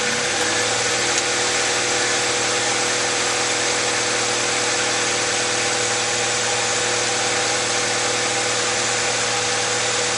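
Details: 2001 Honda CR-V, misfire fixed by replacing the distributor rotor and reseating the plug wires in order: a steady, even idle with a smooth unbroken hum and no stumbles, pops or backfires, running perfectly.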